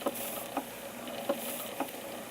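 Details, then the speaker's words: Reeves M.E. beam steam engine on a refettled antique boiler, ticking over on about 3–5 lb steam pressure: soft, even exhaust chuffs about twice a second over a light steam hiss, running smoothly; valve box inner gasket blown. "as you can see it is running beautifully"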